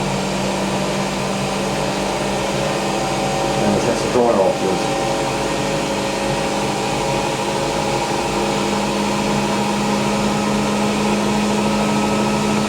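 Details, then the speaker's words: Hotpoint BIWDHG75148UKN integrated washer dryer on high-speed spin, thought to be about 1400 rpm: even steady hum at one pitch with soft whoosh, no knocks or rumble; normal. "Interesting. I think that's like 1400 now."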